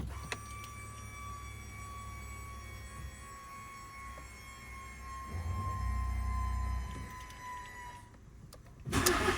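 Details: Fiat 500 1.4 16v after replacing coils and spark plugs for cylinder 1–4 misfire codes P0301–P0304, rough running and limp mode: catches cleanly and settles to a smooth, even low idle with no stumble or miss.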